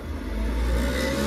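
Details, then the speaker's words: Worcester boiler, case off, running hot water: loud tractor-like roar climbing as the fan ramps to full speed, where the boiler cut out after about a minute; worn fan bearing, parts ordered for replacement. "So what would happen was you'd run the hot water, it'd stay on for a minute, the fan would ramp up, and when it got to full speed, cut out dead. Dead. But it sounds like a tractor, like really loud."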